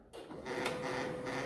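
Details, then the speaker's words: Canon 2009 laser printer with a 12A toner cartridge printing a page: loud continuous rough grinding rasp while print quality stays sharp; the printer alone runs quiet, fault traced to the cartridge roller. "Đấy, đầu tiên là chúng ta nghe tiếng kêu rất là to đó. Bản in rất là nét thôi, nhưng mà nó kêu rất là to."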